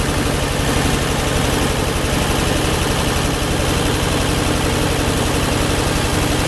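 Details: Ford 8N tractor with rewired harness and one-wire alternator, about a quart low on oil, runs at a steady, even low idle with a firm regular beat and no misses or knocks; normal idle.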